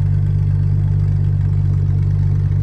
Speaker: Reason number three, this thing always has a consistent idle. One thing I noticed immediately once we got this thing dialed in was how smooth it actually does idle.